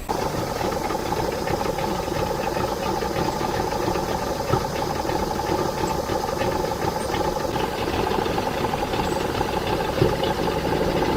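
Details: Circa-1985 Suzuki 85 hp two-stroke outboard, unrun for six years, after reviving and syncing its three carburetors with vacuum gauges: steady even idle with a light mechanical rattle, no surging or misses; normal idle.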